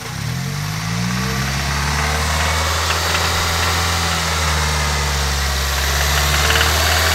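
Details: Toyota Corolla idle: light, fairly steady tick about four times a second over the hum that started today; owner suspects a lifter needing replacement or adjustment, unconfirmed.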